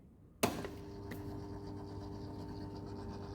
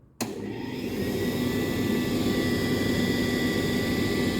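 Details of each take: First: Indesit 8 kg vented dryer set to 140 °C: a click at switch-on, then only a faint steady hum. The timer runs and it heats, but the drum doesn't rotate. A broken drive belt; the belt, motor and capacitor were suspected. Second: Indesit IDC 85 8 kg vented dryer after repair (drum had not rotated, only humming; faulty belt replaced): steady even motor hum with soft drum rumble from start to switch-off, no scraping or squeal; drum now rotating normally.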